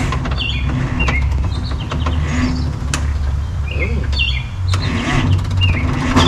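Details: 1962 Hyster Pioneer 60 forklift, cold start next day after Zenith single-barrel carburetor rebuild, choke worked by hand: low, steady, even idle, no misses or knocks; runs like a top; coolant low.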